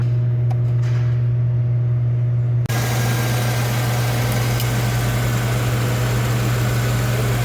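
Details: GMC with a hard-starting complaint: steady, even low drone with no misses or knocks, settling into a smooth idle after starting; normal idle.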